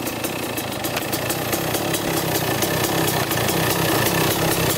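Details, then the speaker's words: 1995 Kawasaki KX250 two-stroke at idle on first start after sitting: fast irregular metallic ticking, two or three per second, when clutch is pulled in; clutch or its screws scraping against the side cover. "so it's scraping pretty good you'll hear it when i pull on the clutch and you can you can hear it pretty good"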